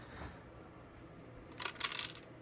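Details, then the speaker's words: 1977 Robyn 520D CB radio (858 SSB chassis) on the bench: brief light metallic clatter when the set is moved; owner suspects a loose screw inside the chassis, not yet confirmed. "I still have a loose sound in here when I move this around. It sounds like there's a screw or something."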